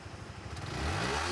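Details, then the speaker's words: Yamaha R15 V3 after full engine rebuild for a knocking noise: single starts first try and revs smoothly, no knock or rattle under the exhaust note; engine healthy after repair. Normal running. "కదా బండి బండి అయితే బ్రహ్మాండంగా అయితే set అయిపోయింది."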